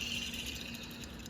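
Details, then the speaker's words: Old serpentine belt tensioner removed from a 2013 Chevrolet Equinox and spun by hand: a dry, fast rattle with a thin steady high ring. Its squeaking had been worsening since September; the bearing is worn out. "it was making a little bit of noise. Bearings going out of it. That's what's making that noise."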